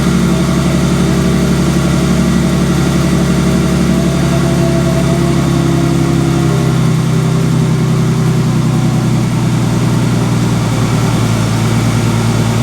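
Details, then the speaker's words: Ford Explorer Sport Trac 4.0 with 246,000 miles, switched from 5W30 to 10W40 to quiet timing chain tensioner rattle: steady, even, smooth idle with no chain slap or rattle, quietest it has idled since bought; normal idle. "wow okay first impressions that is the quietest that thing is idle on the engine side since i got it"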